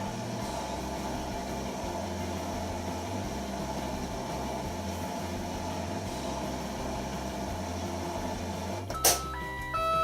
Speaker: Very quiet. Note that the beeper on this beeps for about 5 minutes and then it will stop beeping at the end of the cycle.